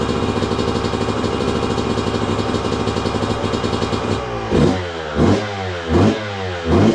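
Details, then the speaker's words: 2002 Yamaha YZ125 two-stroke that sat a long time, running: crisp ringing idle, then four clean throttle blips rising and falling freely, no knocking or clatter; crank sounds good. "Yep. She runs good. Let's go. Well, there you go, guys. Running really good too. And I knew it would. Crank sounds good. There's no knocking or clattering,"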